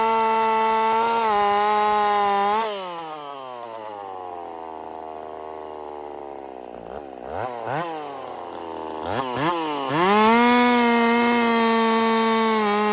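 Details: Husqvarna 50 Partner 5000 hybrid race chainsaw after a rebuild with a machined piston taper; the tune has become finicky at idle. It screams at full revs, drops to a steady idle, then picks up crisply on blips without bogging. Normal running.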